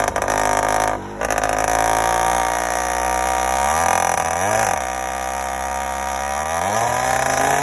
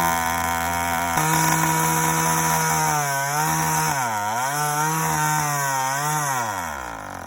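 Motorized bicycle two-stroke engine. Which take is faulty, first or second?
second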